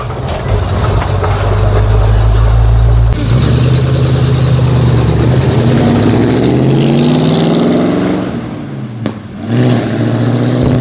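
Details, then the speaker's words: 1950 Ford F1 flathead V8 8BA accelerating through the gears on a test drive after header gasket replacement; pulls cleanly, no pops or crackles on lift-off, former exhaust-leak popping and backfire gone, much quieter. "it was definitely much quieter now seems like all the popping that used to be used to do when slowing down and uh shifting gears that it did hasn't hasn't popped once"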